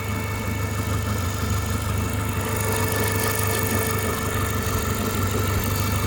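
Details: Renault Megane 2 with the F4RT 776 2.0 turbo petrol engine idling steadily with an odd, uneven rattle over the hum; a strange idle noise whose source is unclear.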